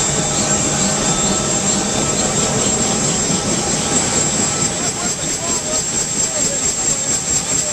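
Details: UH-1 Huey turbine engine after rebuild: a steady, even turbine whine at a high, constant pitch with no surging or rough notes; a normal, smooth turbine run.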